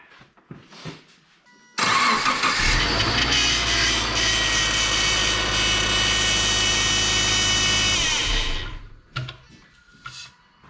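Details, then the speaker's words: 2006 Subaru Forester at startup after topping up leaking power steering system: loud steady high whine and squeal holding pitch; pump low on fluid, sucking air, major air in the system. "so you can hear how much it's winding and squealing so that's gonna be just because it's low on fluid"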